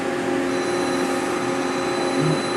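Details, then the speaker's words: Machine tool X-axis during pre-production check: steady, even servo hum with faint constant tones, no knocks, scrapes or surges; axis sounds okay. "so this is an x-axis sounds okay everything is okay on it"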